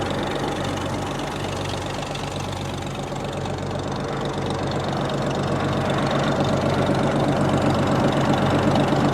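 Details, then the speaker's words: 1937 Oliver Hart-Parr 70 tractor during restoration with oil pressure at about 23-25 psi: a slow, very even low idle thump of about four beats a second with no stumbles. Normal idle. "got about 23 to 25 psi in oil pressure. Not bad. Nice low idle for you."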